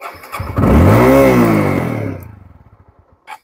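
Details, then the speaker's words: TVS Apache RTR 160/200 4V BS4 carburettor, cold start: the engine catches only with the throttle held fully open, revs, then slows and dies once released because the idle fuel supply is too low, with the idle mixture screw shut. "Start हो जाएगा क्यों होगा क्योंकि throttle मेरा total open है तो engine को start करने के लिए जितना फ्यूल मतलब एयर फ्यूल मिक्सर अंदर जाना चाहिए वो अंदर जा पा रहा है तो इसलिए इंजन स्टार्ट हो गया"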